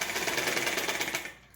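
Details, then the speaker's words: Household sewing machine before cleaning; fast, sharp rattling clatter about fifteen beats a second, then coasts down; running noisily. "देखिए, ये इसकी आवाज़ देखिए आप। कितनी आवाज़ कर रही है, देखिए।"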